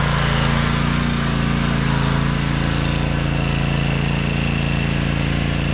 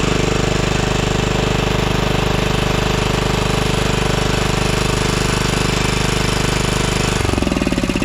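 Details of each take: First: 2012 Toro Timecutter SS 5000 Kawasaki twin after fixing the rockers and adjusting the valves, engine cover refitted: steady, even drone with smooth low beat and no misses or ticking; normal running on both cylinders. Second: 2012 Toro Timecutter SS 5000 zero-turn mower (model 74630), twin-cylinder engine running on one cylinder: hard jackhammer-like thumping about 3.5 beats a second; swapping the coils gave the same result, ruling out spark and pointing to that side of the engine.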